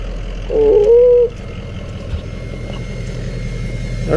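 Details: Highlifter 850 ATV with an aftermarket exhaust, quiet insert and Big Gun Power Box being tuned: a low, even idle rumble with a short wavering whistle on top, which the owner calls turbo whistling; a normal idle.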